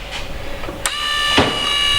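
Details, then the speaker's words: 2003 BMW E46 M3 CSL, new Burkhart SMG motor fitted: during the diagnostic clutch-bleeding procedure, a click, then the SMG hydraulic pump spins up to a steady high whine under strain. The bleed of the clutch, slave and hydraulic lines completed successfully. "It's activating the pump. Well, it says it's doing it successfully. Well, that's a good start, isn't it?"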